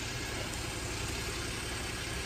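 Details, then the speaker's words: 2021 Geely Coolray that died when hot, just restarted after fuel pump replacement; smooth, even idle hum with steady low rumble, no misses or knocks; normal idle after repair. "yan guys nag-start na ang ating unit so obserbaran natin"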